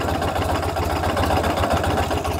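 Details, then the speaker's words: Ural motorcycle with sidecar at idle, clutch pulled in: a dull rough hum with a faint rattle between the engine and gearbox. Owner asks whether this is normal; the source is uncertain. "Но что бы вы сказали по поводу того, что при нажатии на сцепление между коробкой передач и двигателем слышен такой шум?"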